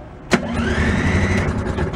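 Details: Beaver amphibious vehicle, first run in 25 years on an owner-built drivetrain replacing the blown factory engine, battery trickle-charged overnight: started in neutral, a quick starter burst, then the small engine fires and runs fairly evenly; a clean, healthy start.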